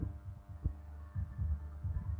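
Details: HotRock powered speaker with constant hum: low steady faintly pulsing hum, fixed with parts replaced in pairs.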